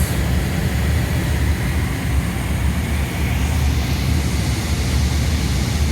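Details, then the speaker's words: Two-year-old 100-ton Trane IntelliPak rooftop unit after static pressure fault fixed: deep, even fan roar, steady with no surging, droning or rattling; normal blower operation. "now that's more like it and that's about what the other one was doing it was at about 60 percent and it was doing its one point five to two inches water column"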